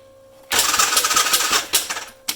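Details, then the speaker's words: Arctic Cat 550 XR engine cranked on a jumper pack after ATF was left soaking in the cylinder: starter spins it fast and smooth with no compression beats and an odd rattle; no piston movement felt; owner suspects timing chain issue, unconfirmed. "it turns over but as you can hear see that's one more once more there's a curious sounding noise going on and we've got no compression so it could be all manner of things"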